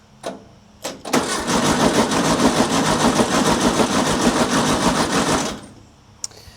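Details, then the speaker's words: 1960s Volkswagen dune buggy, air-cooled engine sitting over ten years, cranked with a remote starter button; starter churns about three beats a second without catching, power reaches the coil but no spark, bad coil or wiring suspected. "All right. So, we're we're getting power to the coil, but we're not getting any spark coming out of here."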